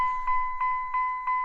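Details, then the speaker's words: Truck key-in-ignition chime, panel removed: even electronic chime repeating about three times a second, with a buzzing; the small black box with speaker holes vibrates, identifying it as the chime unit. "And I could hear a buzzing noise along with the door chime. So when I touch this box, it is definitely a little small vibration."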